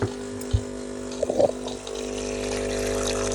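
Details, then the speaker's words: Gaggia/Saeco Nespresso SUP022 coffee machine after LCD display repair: even, steady pump hum with water running through during a water test, a few lime scale bits at first and needing descaling; pump delivers water normally. "you can see there, got water coming out. There's a few bits coming out with it at first. A bit of lime scale."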